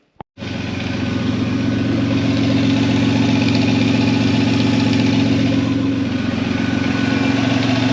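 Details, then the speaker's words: 3.4L Toyota V6 (Tacoma engine) with a York air compressor, after the bracket problems were fixed: smooth even idle with a steady low drone and no clicking or clacking from the belt-driven compressor; healthy running. "As you saw in the last clip, uh, she's running pretty good. Um, no clicking, clacking. I didn't shred the belt. Everything sounds good."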